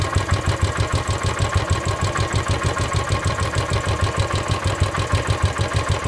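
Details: Royal Enfield Desert Storm Classic 500 EFI, serviced before a long tour, idling with a steady knock on each firing pulse, around three per second; friends suggest piston slap or abraded floating bushes, unconfirmed.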